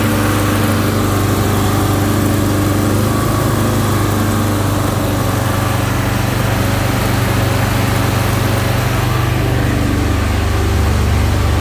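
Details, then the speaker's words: 1971 Alfa Romeo 1750 GTV, manual, started cold: a steady, even fast idle with no misses or knocks. The high idle is due to the cold engine and is coming down; it may need adjustment. "all right there you have it now the idle is going down a little bit so that gives us a little bit of an indication of the engine idle"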